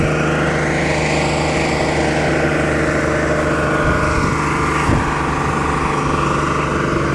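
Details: Diesel truck engine roaring flat out at a steady high pitch that never settles back to idle, consistent with a runaway; cause suspected, not confirmed.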